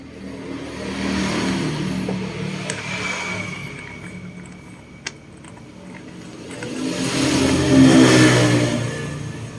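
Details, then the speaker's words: Yamaha Fino scooter that started hard and stalled, after compression was restored: it starts without throttle, revs swelling and settling cleanly with no misfire or stumble; normal start and idle. "ครับคราวนี้เราก็ไม่ต้องบิดค้าเร่งเวลาสตาร์ทนะครับเพราะว่าเครื่องยนต์กลับมามีกำลังอัดเหมือนเดิมนะครับผมครับ"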